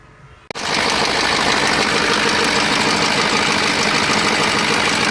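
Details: KAMAZ crane truck diesel that knocks and expels antifreeze: fires up into loud, steady clatter with rapid knock about four a second; owner suspects one cylinder, considers removing water manifolds to find it. Cause unclear.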